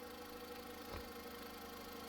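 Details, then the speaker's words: 2001 Honda Civic EX, 18 years old, on 5W-20 oil with Lucas oil stabilizer, valves adjusted at timing belt job; smooth, even idle hum with no knocks or ticks, quiet and healthy, normal idle. "It runs like a champ. Nice and quiet."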